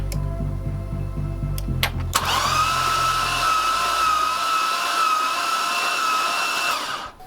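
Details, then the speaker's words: Corvette with a rebuilt LS3, cranked with spark plugs out so no compression: steady, even starter whine with no knocks, chirps or belt noise; normal cranking. "if there was anything wrong mechanically with the engine it would have heard some loud and crazy noises but it turned over nice and smooth"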